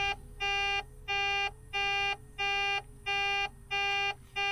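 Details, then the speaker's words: Mack truck losing fuel prime: a steady high-pitched warning beep about one and a half times a second in the cab, continuing with the key off; air pressure is fine, cause unknown. "Started making this noise earlier when the key was off and I was outside the truck working on it. And it doesn't stop when I turn the key off."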